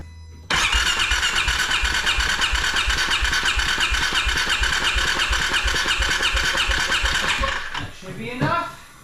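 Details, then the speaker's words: 2016 Polaris Ranger 570 compression test at wide open throttle, automatic decompression (spec 80–120 psi): even cranking pulses about three per second; reads 85–90 psi, in spec, normal compression. "so we're between we're probably about 85 to 90 which is in spec"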